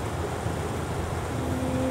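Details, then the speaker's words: Hitachi Yutaki S 14 kW heat pump outdoor unit (RAS-5WHVNP), compressor at 82 Hz. Steady low hum with a faint tone rising slightly, smooth and even. Normal compressor operation. "Posłuchajcie jak to wygląda w sprężarkach tej chwili działa częstotliwością 82 herców a także do setki jeszcze"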